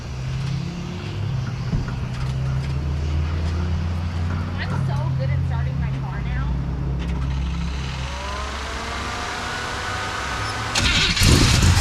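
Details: Hot rod V8 after tightening a loose part behind a rattle/tick noise: deep, even burble at idle with no rattle or tick; sounds fine, muffler suspected as earlier noise source; normal running.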